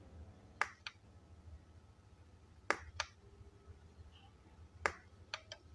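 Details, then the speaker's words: Godox Mini K-150 studio flash after repair for no-fire and power drop, tested at full power: three sharp flash pops about two seconds apart, each followed by quick recharge clicks. Firing and recycling normally. "ya teman-teman kita tes di power terbesar kita pentokin tuh ya sampai mentok itu Ya kita coba tembak 123 123 reload bagus teman-teman Alhamdulillah kita dengarkan suaranya teman-teman"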